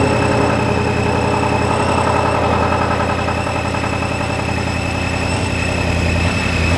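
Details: Ford 5.0 Mustang newly supercharged, first start after flashing the tune and before warm-up (coolant had been spilled into the intake runners): a loud, steady, deep burble with no misses or knocks; it is running good.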